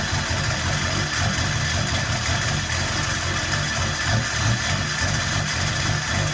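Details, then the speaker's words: Single-cab short-bed LB7 Duramax diesel, first start: rough idle with hard clatter and metallic hitting low down; flywheel or hanging starter suspected, no throttle response; knocking noise at idle. "Sounds like flywheel or something's hitting down there or starter's hanging up or something. >> Yeah, >> does not sound good."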